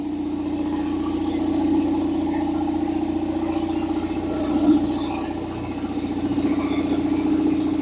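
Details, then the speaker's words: Old belt-driven air compressor revived after long sitting, oil at max, first run: steady mid-pitched hum with quick regular pumping beat, no knocking or squeal, building pressure; quieter than a Harbor Freight unit, belt could be tighter; normal running. "It's actually a lot quieter than the other one we have, that one from Harbor Freight. And it's building pressure. That's good."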